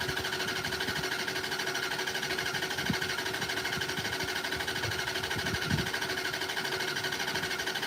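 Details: Fifth Ave car being prepared: steady rhythmic starter cranking that never fires; cranks but won't start, cause not confirmed, throttle linkage afterwards found not hooked up.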